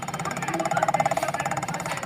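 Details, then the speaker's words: Electric scooter hub motor: rapid rough pulsing at about thirteen beats a second with a buzzing hum from the hub; one hall sensor (yellow wire) showed no continuity; faulty hall sensor. "तो मसला जो है ना यह एक sensor की खराबी थी एक सेंसर क्टी था येलो कलर की वेर यानी कि शो नहीं होती थी कंटिन्यूटी"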